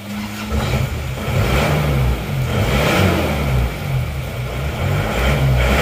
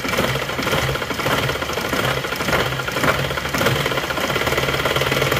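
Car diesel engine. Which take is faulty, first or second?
second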